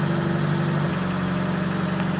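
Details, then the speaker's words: Fiat Panda 4x4 after oil leak repair, idling with clutch pressed: startup rattles gone once oil pressure built, now a steady even low hum with no knocks. Normal idle. "there you go the rattles have gone there just took all that time to fill the earth to fill the thing"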